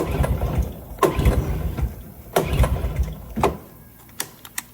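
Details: 1996 Honda TRX90 barn find with an aftermarket Chinese CDI box: short, ragged cranking bursts with a few sputters, never catching. Cranks but won't start; no spark suspected.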